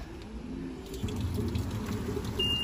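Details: Old LG washing machine, sitting slightly tilted outdoors, spinning normally after repair of a failed capacitor and a loose belt tightened at two motor screws: steady low motor hum, no slipping squeal or rattling.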